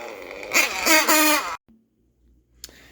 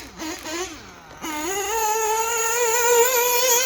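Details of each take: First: Nitro RC engine with two-piece tuned pipe: high raspy engine runs loud and open about a second then cuts out, the tuned pipe blown off the manifold coupler; fix is cleaning coupler, pipe and manifold. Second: Nitro RC engine: high buzzy engine picks up revs then holds a clean, even, steady scream with no stumbling; normal running.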